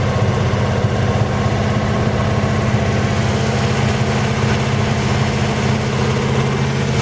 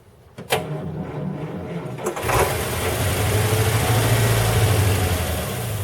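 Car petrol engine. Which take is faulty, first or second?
second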